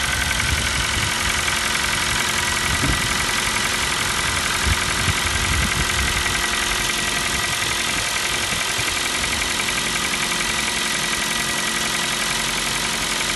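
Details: New Kia Rio 4, 1.6 engine, at idle: light, fairly regular tapping about three or four per second over the engine hum; piston slap, same sound as on the Kia Rio 3; engine knock.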